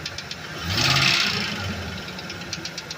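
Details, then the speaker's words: Ford Econoline E350 5.4 V8: sharp, fast, regular ticking knock that swells as throttle comes in and is faint or absent without throttle, heard from below the engine. Persists after transmission checks; cause not found. "nada [Música] por dura y buen amigo cuando está así sin acelerar el ruido no hay ruido o un poquito y otra vez granados"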